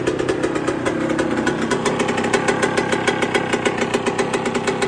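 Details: 1999/2002 Yamaha YZ125 converted to YZ144 two-stroke on the stand, first start after full restoration and carb rebuild kit, not yet hot: loud crisp popping at fast even beat, revving cleanly without stumbling; normal healthy running.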